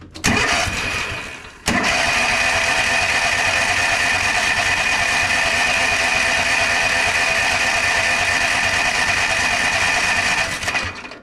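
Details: Toro TimeCutter SS5000 zero-turn twin-cylinder mower (bogged and died under PTO load), test-run at no load with one spark plug unplugged: catches after a stumble and runs rough and lumpy on one cylinder, confirming that cylinder works.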